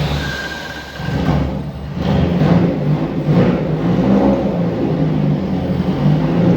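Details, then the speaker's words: Carburetted VW Gol G1 four-cylinder started cold, catching on the first try: an idle that regulates a little oddly swells into a light rev, with a very loud, blatty exhaust that the owner suspects has only one muffler chamber. "Y es un escape que suena fuertísimo, debe tener apenas una cámara nomás."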